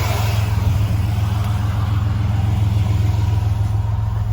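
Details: 2000 Chevy Blazer ZR2 after fuel pump replacement, six gallons added, pressure now 55 versus 40 before: deep, even low rumble with steady firing pulse, no misses or stumbles; engine running smoothly, normal running.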